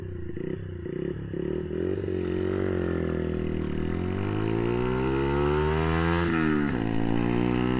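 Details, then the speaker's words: Brixton Felsberg 125 accelerating hard in first gear through a small bend: revs climb quickly, then the pitch flattens and stutters on the rev limiter (just over 10,000 rpm) before the shift. First gear is too short and forces an early upshift. "but you hear the bike go into its rev limiter. It has a rev limiter about a little bit over 10,000."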